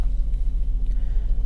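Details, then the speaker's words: Copart auction car with 98,500 miles, black oil, AC running ice cold: deep, steady idle rumble with even beat and no misfire; runs great, normal idle. "AC is ice cold baby ice cold all right so it runs great"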